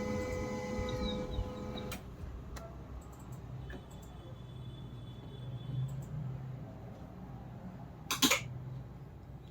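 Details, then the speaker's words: HP LaserJet M1005 MFP that stuck on continuous initializing, powered on after repair: brief steady motor whir with faint tones, a click, quiet, then a short clatter; normal start-up, printer becomes ready. "तो एक बार मैं अभी power button press करता हूँ, initialising हो रहा है, sound सुन पा रहे हैं।"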